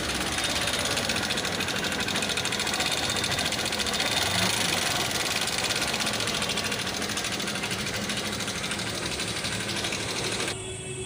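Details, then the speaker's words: Old-model Honda Shine motorcycle with no self-start, after engine work with all new parts: a busy sewing-machine-like tapping over the idling exhaust from the engine top end. Head removed to find the cause. "এই আওয়াজটা যে শুনতে পেলেন, এই আওয়াজটা engine থেকে হচ্ছে।"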